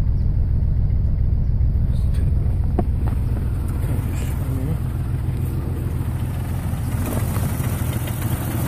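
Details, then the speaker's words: 1996 Jeep Grand Cherokee Laredo straight six 4WD: deep, lumpy idle that stumbles and shakes, exhaust sounding very rich, all cylinders misfiring, smoother in neutral; cause not pinned down. "okay this is a nineteen ninety six grand cherokee laredo straight six four wheel drive having some extremely rough idling issues and i will demonstrate that for you now have key"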